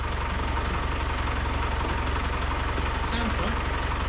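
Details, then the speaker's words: Land Rover Discovery with a freshly swapped 200Tdi diesel at its first start after the re-fit, idling; oil pressure gauge at about 50 psi, reading 10 psi low. Even, steady diesel clatter with no misses or knocks; quite smooth, normal idle. "quite smooth."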